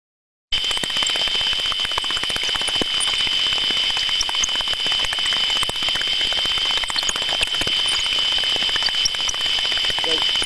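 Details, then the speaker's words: Gearbox through ultrasound, similar dB level to a good unit: dense uneven repetitive impacts with a thin high squeak underneath, suspected lack of internal lubrication and a gear mesh or tooth problem; gear mesh impacting and squeak. "this we can clear here quite clear repetitive impacting sounds we can also hear that squeaking sound which might indicate a lack of lubrication with inside the actual body of the gearbox"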